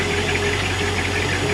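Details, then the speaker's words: 1986 Shamrock 20 boat, Ford 302 V8 unstarted for 3 years, transmission previously slipping: steady idle with even hum, no clunk or grind shifting reverse and forward, prop shaft turning well; normal transmission engagement. "Oh, good idle, too. Reverse. Yep. Forward. Oh yeah, prop shaft is looking good too."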